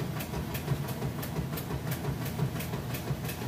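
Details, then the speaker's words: Kenmore top-load washer with a heavy jeans and towel load and the lid switch bypassed, agitation starting: even swishing strokes about three per second over a low motor hum, smooth normal agitation. "see it agitating just getting started there excellent job with the agitation"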